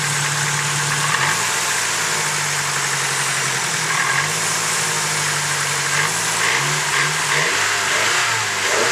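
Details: Ticking at idle from a fully built engine, starting a few months after the build: even idle with a light, fast tick following engine speed, pointing to the top end; lifter suspected, not confirmed.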